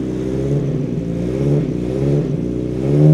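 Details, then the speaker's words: Austin Allegro barn-find car after a jump start: the engine revs freely, rising in pitch, but the car doesn't move. Clutch suspected to have gone through after it had been stuck. "on the side I think the clutch has gone through"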